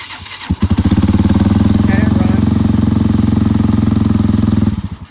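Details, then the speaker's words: Dirt bike just fitted with battery, wiring harness and ignition switch: starts quickly and holds a fast, even putter; idle seems a bit high and may need adjusting. "idle might need to be adjusted which is easy"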